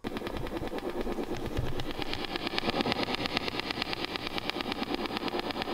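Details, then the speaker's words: Fender '68 Deluxe Reverb amp idling with reverb off and nothing played: a loud, sharp tick about twice a second, in time with the tremolo, over amp hiss. It is most noticeable at volume five or below. Tremolo circuit ticking fault. "number two the tremolo circuit on this amp exhibits a really loud and distracting ticking noise"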